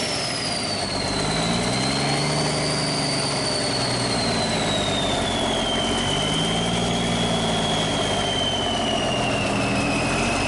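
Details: Cummins 350 Big Cam diesel in a Kenworth, first start in years after fuel priming: a steady low idle with a faint wandering high whistle. Normal, healthy idle.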